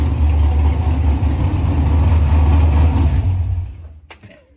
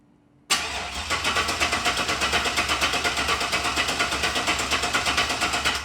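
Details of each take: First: LS-swapped (5.3 truck engine) 2nd-gen Camaro with Walbro GSL392 external pump, Corvette filter regulator and returnless fuel system: deep, steady V8 rumble, even beat about four pulses a second, no misses or knocks, then shuts down; healthy running. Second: LS-swapped (5.3 truck engine) 2nd-gen Camaro, hotwired, external Walbro GSL392 pump and Corvette filter regulator with returnless conversion; starter spins steadily about five seconds but never fires because the fuel cell is empty.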